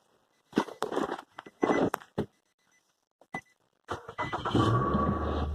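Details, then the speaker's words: 2007 Nissan Altima with key light on and no start; after cycling the steering wheel lock fuse under the hood it briefly cranks and catches into an even idle: engine starts and runs as temporary fix. "we're started again so at least you can get home"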